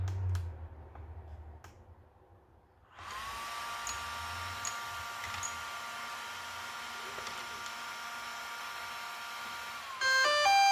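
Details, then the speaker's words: DJI Mavic 2 Pro with about 10 hours flight time, power-on: steady high whir with fine tones, then a quick run of rising chimes; normal start-up sequence, though owner is unsure about another noise, possibly the fan. "this is normal."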